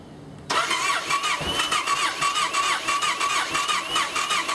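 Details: Yamaha Raider/Roadliner/Stratoliner V-twin with cracked fuel pump housing: won't start first try, then fires up but idles badly, stumbling and surging unevenly on light throttle; rough running also noted at constant-throttle cruising.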